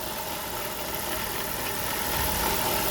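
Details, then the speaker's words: 2006 vehicle with rough idle and recurring EGR code P0404 despite new EGR valve: steady idle with thin high whine, not typical transmission whine; source unknown. "now that's that's different from how a transmission would wind guys so don't get them confused"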